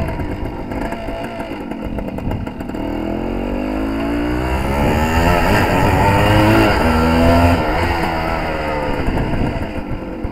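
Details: Suzuki TS185 two-stroke road test after main jet change and needle clip moved to middle: crisp note climbs smoothly, pulls cleanly without the earlier 3-4 grand burble; much better, carburation close to right.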